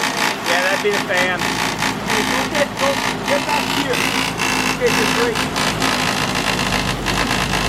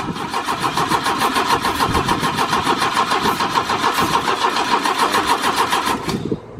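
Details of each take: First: 1972 Opel GT with 32,000 miles, stored for decades and barely driven since 1975, first start: it settles into a steady, even idle under its own power, while the fan may be hitting the shroud; normal idle. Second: 1972 Opel GT with 32,000 miles, stored for decades and on its first start attempt: even starter churning at about 3.5 beats per second for six seconds, never firing. Cranks but won't start; flooding is suspected but doubted, and a battery tender may be needed.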